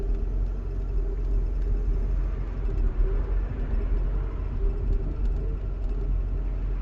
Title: w140 issue, rough idle after 1 hour driving.